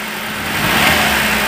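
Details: 2008/2009 Chevrolet Prisma 1.4 flex: short quick rev with a rough stumble on snap throttle, misfire only under rapid acceleration, traced at the exhaust and plug leads to one cylinder.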